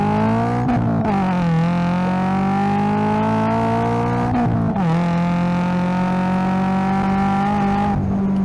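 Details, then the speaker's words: 2025 Toyota GR86 with JDL front pipe and overpipe plus HKS Hi-Power single-exit exhaust, after fixing an exhaust leak: clean, strong note with low-end rumble climbing through the revs and gear changes at wide open throttle, no leak. Healthy exhaust at wide open throttle. "Got a little um a little like low end rumble. Um It's definitely a lot lower than just the HKS high power single exhaust alone."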